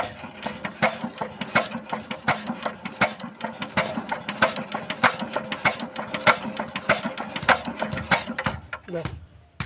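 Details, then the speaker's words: Injector nozzle of a very old Usha Z170F diesel, bench-set outside the engine during restoration with fuel pump pressure checked correct: crisp, evenly spaced hiss-crack spray pops, about 1.5 per second, showing correct opening pressure. "Finally বন্ধুরা আমরা নজরের pressure এবং sound সঠিক করে নিলাম। তো আর কিন্তু আমাদের ইঞ্জিনের মধ্যে আর এক্সট্রাভাবে নতুন করে এডজাস্ট করতে হবে না।"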